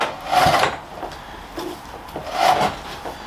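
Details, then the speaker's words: British Seagull outboard, non-running, hand-pulled with cord: two rough dry grinding rasps; a big chunk of metal missing, drive shaft gritty and moving badly. Source suspected, not confirmed. "so that that's okay there's there's a little bit of grinding going on a big chunk of metal missing out that there the drive shaft sounds a bit gry really not liking how that moves around"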